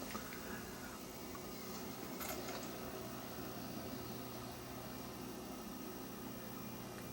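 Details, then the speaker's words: Lite-On LVW5005 DVD/CD recorder (known slipping belts) recording a Video CD (VCD 2.0): faint whir spins up, then settles to a low even hum as it slows, with no grinding or clicking; the disc drive is spinning normally. "now you can hear the drive spin right up for this like it's it's trucking along pretty good there now it's slowed down a bit"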